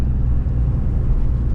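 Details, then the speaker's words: Nissan 350Z before Y-pipe replacement: deep, loud, blatty drone, far too loud, tractor-like; the old Y-pipe's flex section is blown, causing an exhaust leak. "i'm excited because this thing sounds like a freaking tractor all right so i want to give you guys an example real quick oh what my car sounds like it's pretty bad is way too loud for what it should"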